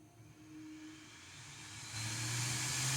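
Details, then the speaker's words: Bambu Lab A1 3D printer after maintenance for a strange fan noise when starting prints: fan spins up with a smooth rising whir and steady hiss, no scraping or ticking; noise gone, running normally. "Bom, pessoal, agora, ó, sem barulho, ó. Girando ali, ó, sem barulho nenhum."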